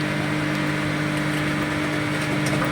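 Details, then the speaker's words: DIY 5000 W BTL amplifier kit with replacement capacitors: constant low mains hum with steady tones. Touching the CT to the chassis reduces it but not fully; unplugging the input removes it, so the problem lies in the input section. "Ya, suara dengungannya tidak hilang 100%, cuman berkurang. Nah, ini lebih kuat. Ini agak kurang. Tapi kalau inputnya dilepas, ini hilang suara dengungannya. Masalah di bagian input."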